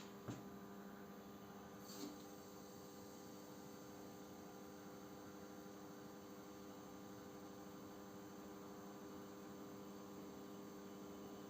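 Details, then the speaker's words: Panasonic NN-GD577M microwave after its failed magnetron was replaced, heating about 200 g of water: a steady low mains-type hum with fan rush, even and uninterrupted; the oven no longer shuts off and runs normally under load. "Ну, как видим, печка не отключается, время пошло."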